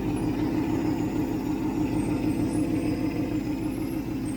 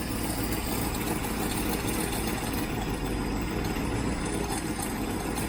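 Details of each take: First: 1967 Ford Mustang 390 V8 after rebuild, heard at the tailpipe: steady, even burble with regular low pulse, no miss or knock, no smoke; excellent idle, accelerator pump may need adjustment. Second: Freshly rebuilt 1967 Mustang 390 V8 idling after start-up: a steady, even idle with a faint puffing tick underneath. Exhaust is leaking at the heat riser joint because its gasket is missing (the only gasket was ruined); a new one is needed.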